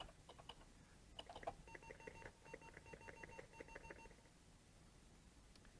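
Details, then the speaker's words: Atari 800 48K with disk drive running Zork II: short evenly spaced beeps through the TV volume as the drive transfers data; normal disk I/O beeping. "Now, one thing I would do if I'm going to play this for real is I'd turn down the volume to stop that beeping."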